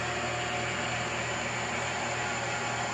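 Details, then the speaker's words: Smithy 409 mill, new, started from control panel and run forward: even, steady motor hum with faint high whine, no knocks or rattles; spindle running normally. "So you turn it on, hit start, you're gonna hear everything power up. Hit forward."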